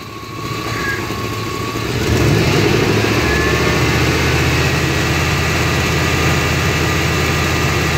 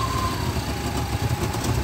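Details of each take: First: 1993 GMC C1500 5.7 V8 with surging, lopey idle and cutting out under load; with the O2 sensor unplugged (open loop) it idles with an even, steady low rumble, no surging. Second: 1993 GMC 5.7L V8 with an irregular lope at idle, trying to die, surging off idle and cutting out while driving as if out of fuel; faulty O2 sensor stuck reading rich.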